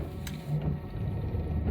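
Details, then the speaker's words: 1991 Dodge Grand Caravan SE, engine warm and running: short low electric hum with light pulsing as the windshield washer pump sprays normally after wiper motor was restored; normal washer pump operation. "sprays, too. Look at that. Probably the cleanest that glass has been."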